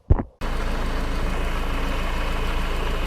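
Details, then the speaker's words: Honda Accord 2.2 litre diesel after alternator replacement, battery deeply drained: a short click, then steady diesel clatter at idle with an even beat and no misses or knocks; idling healthily and the new alternator is charging. "have the alternator now fitted, and as you can hear, I have everything back together and the vehicle is running."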